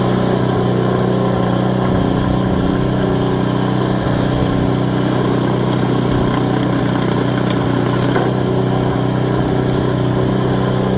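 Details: Craftsman Series 2 snowblower: single-cylinder engine holds a steady, even chug at constant speed with no misses or knocks; normal running.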